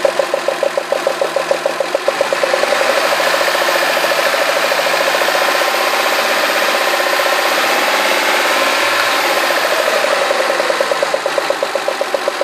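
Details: Citroën Xantia V6 at idle with a sharp, irregular clatter about three a second, sounding like bearing knock; cylinder 1 plug well flooded with oil spilled at the last oil change, so the spark likely arcs; quiet after cleaning.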